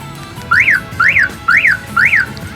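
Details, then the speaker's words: Aftermarket car alarm installed on Limo Gen 3, remote's first button (lock with sound): four quick rising-falling chirps about half a second apart; lock confirmation chirp working normally, unlock also chirps. "Oke, kita coba tombol yang pertama. Nah, ada suaranya ya. Kemudian kita unlocknya pun ada suaranya."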